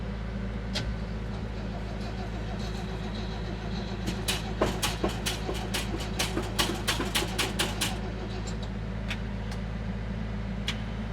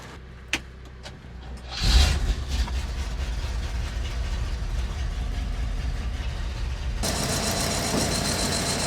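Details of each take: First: 1970s crane truck, over 50 years old, sitting over a year, being jump-charged from a tractor showing 14 V, pump primed: turns over slowly and unevenly for a few seconds, never catches; battery completely dead, spark not yet known. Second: 1970s crane truck over 50 years old, about 300–400 hours, crate engine, oil checked, unstarted for over a year: a few knocks, then it catches and settles into a steady low idle. Some smoke, which the owner suspects is from dry-rotted valve stem seals.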